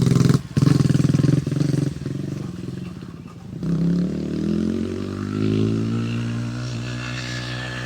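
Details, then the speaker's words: E-Ton 125cc four-stroke four-wheeler, new with about 50 miles in 24 hours, ridden hard on backyard trails past the camera: buzz rising and falling in pitch as it passes, firing even with no stumble; healthy engine running normally. "It's a mean sounding little forbanger. It's a four- stroke. 125cc four- stroke."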